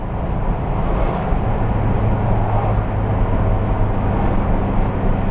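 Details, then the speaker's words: VW bus lumber truck on a road test after gear reduction box bearing repair, with debris from an earlier transmission failure blamed: steady low road rumble at cruise, no gear whine or growl. Quiet drivetrain. "I say wipe off my uh hubc cap let her down and I go for a ride and let's go see how she does on the Old Highway nice and quiet"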